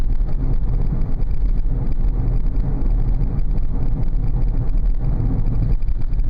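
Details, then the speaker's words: 2000 Oldsmobile Silhouette minivan test drive at 30 mph after replacing one front wheel bearing hub assembly: steady low road rumble, loud hum gone, bearing now sounds healthy. "going 30 m an hour and I don't hear that loud hum anymore so I think we may have solved this little"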